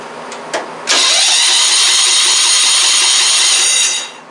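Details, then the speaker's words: Starter on a circa-1991 Craftsman "Squarebody" riding mower, battery system, engages with a bright, steady whir about three seconds, spins the engine freely and cuts off cleanly; engine starts on the key and runs nicely, starter working normally. "It does indeed start with the key in the battery system. Well, now that we've established that that is a runner, a good one at that, it sounds very nice. Um, starter worked out great."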